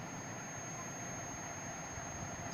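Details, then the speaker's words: Washing machine single-phase washer motor, meter probes across the red common and yellow-sleeved starting terminals: continuous high buzzer tone; continuity good, common-to-starting winding intact. "और आपको बजर सुनाई दे रही है। It's mean common और starting winding जो है वो हमारी ओके"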